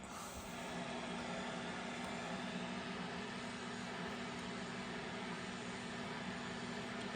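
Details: BC-348-Q receiver running with its BFO centered for CW and SSB (USB/LSB) reception, a 5-20pF capacitor fitted on the BFO coil against drift: even rushing static with a steady low beat tone. It works, though it is oddly hissy and may need more BFO injection.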